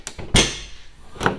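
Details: Jeep Cherokee XJ rear hatch after replacing the missing, misadjusted hatch bumpers, with the seal not yet installed and the latch freed with WD-40: one solid thump, a latch click and no rattle after. The hatch closes cleanly.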